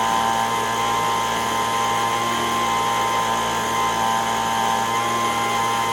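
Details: Echo ES-210 handheld two-stroke blower, 15–20 years old, after fixing RPM surging: steady high-pitched scream at wide-open throttle with no surging or hunting. Tachometer shows 7,100 RPM versus the recommended 7,000–9,000. Normal full-throttle run.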